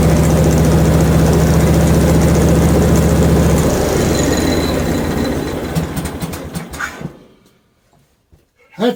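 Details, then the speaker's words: Hud-son HFE30 sawmill after adjusting out-of-adjustment blade guide shoes that caused a ching noise and sawdust buildup, coolant running heavy: even, steady engine drone, no ringing or scraping from the blade, then smooth wind-down; much quieter, running normally. "100% better I can put the Sawmill to bed with confidence that we ready to go on the next log"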